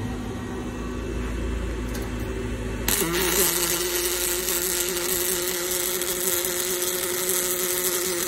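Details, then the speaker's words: Fanuc welding robot (R30ib controller) MIG welding at a programmed travel speed of 20 inches a minute: arc strikes with a thin, hurried crackling hiss. Travel speed is way too fast. "Okay, now that is indicative of our weld speed being way too fast, 20 inches a minute."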